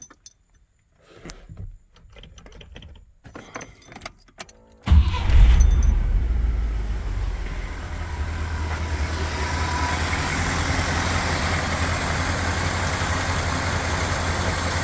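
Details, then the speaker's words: Range Rover Classic V8 converted from fuel injection to carburettor, cold start on a warm day: short crank, catches at once and settles into a smooth, even idle; normal cold start. "yeah it starts runs idles very smoothly"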